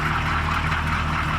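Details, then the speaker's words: CUCV M1008 diesel idling after a first drive on its own tank, with fuel line leaks patched: a steady, even low diesel rumble with light clatter. It idles acceptably, judged not terrible. "but uh yeah so far so good listen to it you know right not terrible"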